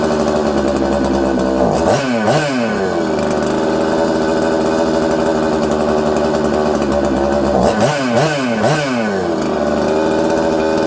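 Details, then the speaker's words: Newly built 266 chainsaw: uneven idle, flaring twice to high revs and sagging slowly back down, hard to idle and tune; owner suspects an air leak leaning the mixture. "you can hear it it's not idling good it's hard to keep idling it's hard to tune it's just all over the place"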